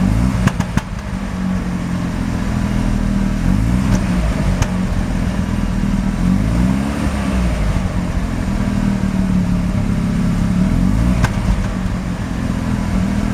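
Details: Mazda RX-7 rotary, extremely high CO (2.70), failed annual inspection: steady low exhaust drone with uneven lumpy pulses and stumbles, rough shaky idle, misfiring on slight throttle; no oil pressure; cause not obvious.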